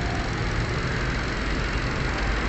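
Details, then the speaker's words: Hyundai Accent idling after repairing two broken injector wires that caused misfire and check engine light: smooth, even low rumble with no stumbles or skipped beats; clean idle. "so nawala na guys yung pamam ng makina pino na yung andar niya"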